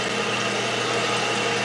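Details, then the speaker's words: Toilet after replacing the fill valve with a Fluidmaster, tank refilling: steady even hiss with no gurgle, sputter or chatter as the float rises, then shuts off; repair fixed the self-refilling. "See, it's going up. Come on, battery, stay in there. Keep going up, should shut off here in a second. And it did."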